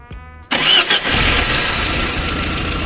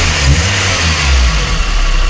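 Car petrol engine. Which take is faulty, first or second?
first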